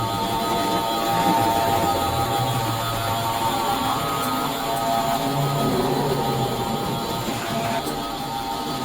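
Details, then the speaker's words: 1958 American Flyer S gauge five-digit Alco diesel locomotive, running after reversing direction. A coarse, steady buzz, its 'diesel roar' sound effect, drones over the motor hum without letting up: working normally. "ah I think you can see why they decided to put it on off switch for the diesel rower it gets to be pretty annoying"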